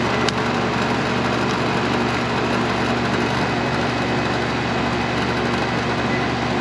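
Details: York AC condenser after replacing a bad run capacitor (fan side read OL, compressor side low); steady even whir of fan and compressor with a low constant hum, no clicks or rattles, unit running normally and cooling.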